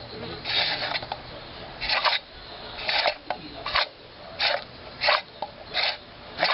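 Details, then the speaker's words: Accel Optispark distributor from a 1995 Firebird Formula, about 5,000 miles of use, cap off: hand-turned shaft gives dry scraping rasp in bursts about every 0.7 s as rotor rubs the distributor base, leaving scratch marks; bad unit. "hear that scraping that's not normal that shouldn't be doing that"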